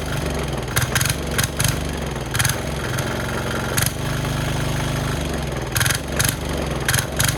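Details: Cheap Chinese single-cylinder diesel from Amazon on plywood, started with throttle just off the stop and decompressor: steady low chugging idle with sharp even bursts, settles and runs smoothly; normal idle.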